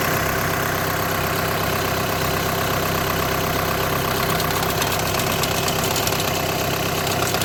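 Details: 2008–2014 VW with DSG gearbox at steady idle: an uneven metallic chatter at about two pulses per second. DSG clutch plate or plate bearing vibration is suspected, not confirmed.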